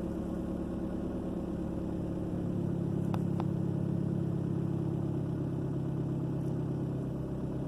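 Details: 2003 Ford Focus petrol engine idling with a steady, even low rumble and no skips or knocks, after the cylinder 2 misfire (code P0302) fix; scanner data reads fine.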